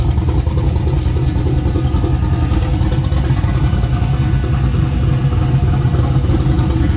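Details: Freshly rebuilt V8 first start on temporary plugs, no tune or timing set yet: loud deep continuous rumble, slightly uneven, holds without stalling; runs after a short first run.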